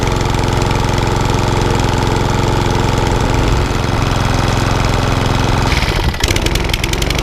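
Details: Lawnmower that was hunting and surging from bad fuel, after carburetor clean and reseating a very loose plug: engine holds an even, steady drone with no rise-and-fall surging; running smoothly after repair.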